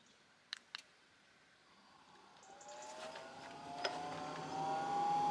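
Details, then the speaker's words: Diesel heater start-up in an off-grid building: fuel pump ticks while priming, then the fan spins up with a rising whine and settles into steady running; a clean start, heat beginning to come through. "so as you can hear that noise is ticking it is priming so we'll give that a little bit of a chance"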